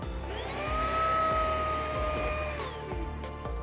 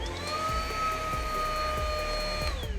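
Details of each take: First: Riccar R27CV cordless upright vacuum with serpentine lifetime belt on a sensor: motor whine climbs at start then winds down and cuts out within about three seconds, red light on; brushroll jam triggers auto shutoff protection. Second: Riccar R27CV cordless upright vacuum running after its lifetime-belt protection shut it off (red light) and it was reset by switching off and on: a steady, even motor whine with no stutter or rattle; normal.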